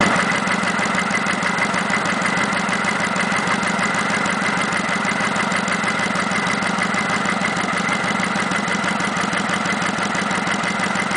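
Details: Kawasaki Vulcan 900 (VN900) V-twin at idle: fast, even light ticking about three per second, normal valve noise present since 1,000 miles and common to every VN900; no engine problem.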